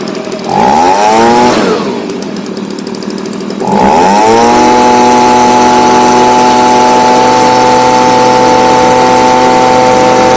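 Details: Stihl BG55 two-stroke leaf blower, formerly no-start, on new C1Q-S68G carburetor replacing a torn-diaphragm carb, after adjustment for higher revs: revs up, drops back, then holds a clean steady high scream at full throttle without stumbling; pulls smoothly.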